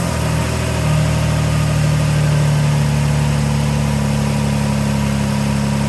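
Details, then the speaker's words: 2012 Dodge Journey 3.6L V6 at idle, just after thermostat replacement for code P0128, not yet warmed up, on a chilly day: rapid puffing tick over the engine drone, steady with revs; owner notes an exhaust leak underneath. "As you can probably hear, there's an exhaust leak underneath there, so that'll be the next thing I'm going to have to get onto, but might leave that till the springtime because it's chilly cold out here, that's for sure."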